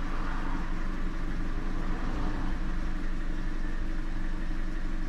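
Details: 2016 Chevy Sonic LTZ 1.4 turbo, which failed emissions, idling after fixing a purge valve stuck open and pulling vacuum; fuel trims are dropping. Even, low engine hum at steady idle with no misses, knocks or hiss; normal idle.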